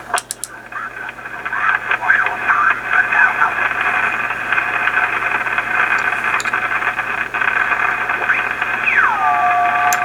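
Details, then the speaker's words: Yaesu FT-101 ham radio receiver: hissy noise with irregular sharp crackles and pops like internal lightning crashes, coming and going as the VFO is tuned. The internal source is not yet found and is to be traced with a signal tracer. "that's causing what almost sounds like, you know, lightning crashes in the background. But I think this is lightning crashes inside the rig. It's sounds really bad."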